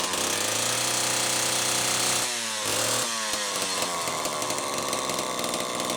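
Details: Homelite XL-12 chainsaw, final test run after an ignition repair (misaligned coil bracket, missing lock washer fixed): busy high-pitched two-stroke buzz holding steady with a brief dip; runs cleanly with no misfire or stumble.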